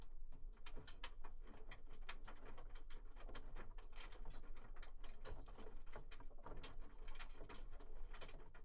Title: Washing machine sound Spin Coast Cav Balls